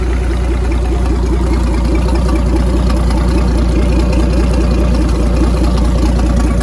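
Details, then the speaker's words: 1959 Graymarine 109 marine engine from a 1959 19' Lyman, after a complete overhaul, oil-pressure priming, timing set and carburetor adjusted: smooth, even idle with a steady low thump about 2.5 times a second, no knocks or misses; normal idle, runs sweet. "all right got our 109 running here set the time adjusted the carburetor sounds really sweet"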